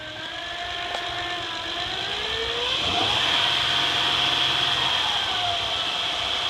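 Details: 2008 Honda Accord EX-L V6: high steady whine that climbs and falls with engine speed over a quiet idle; a bad diode in the alternator causes it.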